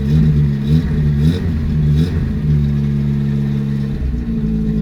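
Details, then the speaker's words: 1974 Honda Civic Mk1 small petrol engine, running after a fuel pump was fitted and spark plugs changed, choke on: idles with a steady, even low hum, no misses, knocks or stumbles, much smoother than before. "it's running a lot smoother than the last time you heard it sounds really good"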